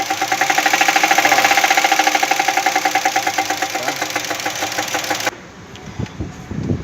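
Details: Jeep Cherokee engine making a steady tapping knock at about three per second over a lumpy idle with misfire; new spark plugs and twice-cleaned injectors did not fix it; owner suspects an internal fault, possibly a broken rocker arm.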